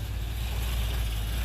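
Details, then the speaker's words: Singer British roadster, stone cold, first start after converting from old points and condenser to 12 V negative-ground electronic ignition: deep, steady, even rumble with no misses or popping; idles smoother than before. "Ooh, that even idles smoother already, I can tell."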